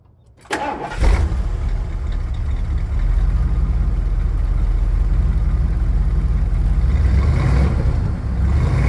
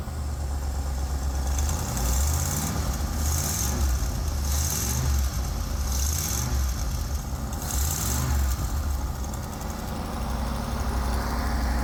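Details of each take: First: 1979 Ford E-350 Chateau RV with 460 V8 after repairs and light tune: fires within a second of cranking and settles into an even, deep, steady idle with no misses or knocks; normal start and idle. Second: 1979 Ford E-350 Chateau RV V8 at idle after repairs and light tune: steady low rumble with faint puffing chuff; major exhaust leak at the heat tube, still to be fixed.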